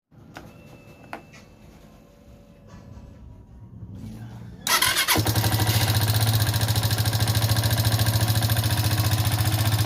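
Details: Haojue DR 160cc motorcycle engine that developed a noise: catches after a few seconds of quiet, then runs with a steady, fairly fast thump carrying an odd extra beat; source unclear, engine to be disassembled.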